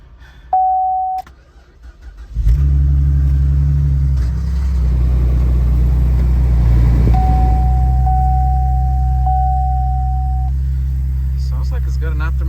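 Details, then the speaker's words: Salvage-auction Chevy Camaro, automatic, started on a jump box: after a door chime it cranks and catches, then settles into a deep, steady, even rumble. Runs well; the exhaust may have a slight bend. "sounds pretty good"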